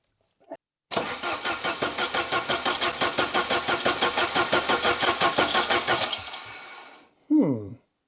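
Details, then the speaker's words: 1980s Saab 900 Turbo Commander, unstarted for 10+ years, ignition module just fitted and spark present: even cranking chug about three per second with no catch, brief squeal; fuel pump going "duck duck" not whirring, weak and sticking until jumped. "Still don't really like the sound the fuel pump is making because it's not really making the woo sound. It's just duck, duck, duck, duck."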